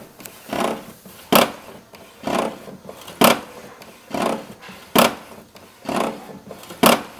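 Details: HP 7612 printer making strange noise only when printing A3, print output normal: scraping swishes repeat in uneven pairs about once a second as the carriage travels; abnormal printing noise of unknown cause.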